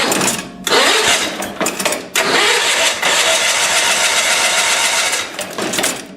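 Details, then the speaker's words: 1975 Sears Suburban SS16 with 16hp Onan BF/MS twin-cylinder engine, winter cold start: repeated cranking bursts with pauses, never catching; hard to start, owner kicks choke out and gives more throttle. "okay now she don't want to start kick it out give it a little bit more speed choke"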